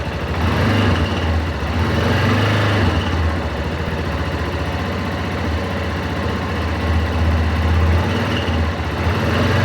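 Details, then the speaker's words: Yamaha Tenere 250 single-cylinder engine idling: a fast, loud "tec tec" tapping over the low thrum. Blamed on the cam chain tensioner. "o responsável por esse barulho é esse cara aqui ó o tensor da corrente de comando"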